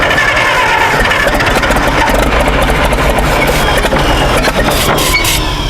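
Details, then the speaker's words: IHC 560 LP tractor after sitting in a shed over 20 years: loud, ragged cranking with irregular coughs and pops that never settle into a run; earlier sputtering blew walnuts out of the exhaust; cause unconfirmed. "now when i first got into sputt and sputtered try to run a little bit ago it blew a bunch of walnuts which i wish i was filming out of the exhaust pipe"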